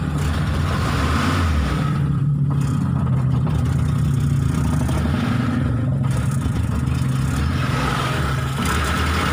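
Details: Mitsubishi T120SS fuel-injected, hard starting, sputtering and high fuel use: low idle stumbling with uneven beat and occasional dips; rough idle misfire, cause unknown.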